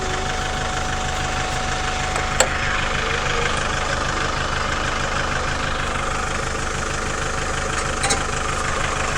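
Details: Chevrolet Captiva 2.2 diesel idling after an oil change and new fuel filters, left running to purge air: even, light diesel clatter with no misses or hunting, normal idle and the bleed screw not leaking.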